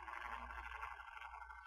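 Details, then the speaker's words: Walmart Christmas tree rotating base with its case open, microphone held next to the gear motor: a small motor hums steadily with a rough, gritty buzz on top; the grinding comes from inside the gear motor itself. "Yeah, there's definitely it's definitely coming from inside the gear motor itself. Yeah, it's quite loud now with the case open like this."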